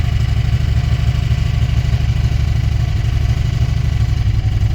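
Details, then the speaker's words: 1994 Chrysler Town & Country revived after sitting in a junkyard since early 2021: low, uneven rough idle with a loose rattling pulse, smoky with a sweet smell; owner suspects head gasket or a bad motor. "what do you think that noise is? Was idle? Runs like... I think she's bad. I don't think the motor's any good. That don't sound very good to me."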